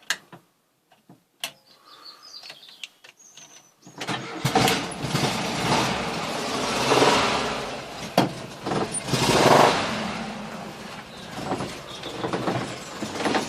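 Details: VW camper with a 1600 TP air-cooled engine starting cold, then idling and revving: irregular knocking under the clatter that goes away once warm; not fan or alternator related; cause unknown.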